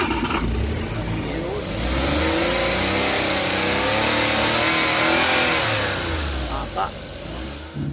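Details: Suzuki engine after burnt wiring was fixed and the intake manifold refitted, following a crank-no-start fault with P0707 and no shifter indicators: it catches and revs up and down cleanly with no misfire; normal start and rev.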